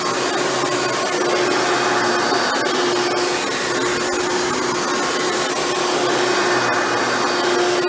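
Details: Hoover Elite upright vacuum after a motor rebuild with new motor bearings, test run: steady, smooth motor whine at constant pitch with no rattle or grinding; runs much better than when first acquired. Normal running.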